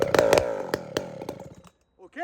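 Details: Chainsaw with traditional walkerized muffler just swapped on, low-jet tuning problem: a few uneven spaced firing pops, then fades and dies within two seconds; stalls, running too rich at low speed.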